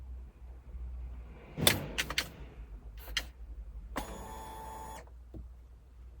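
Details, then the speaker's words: 2023 KTM 125SX TBI two-stroke, engine off, after half throttle is held, then released: sharp clicks as the power valve sweeps up and down, then a brief buzz of the fuel pump cycling. This is the normal power valve limit reset. "yeah there was a series of clicks which is the power valve going up and down and the fuel pump turned on and off a couple of times"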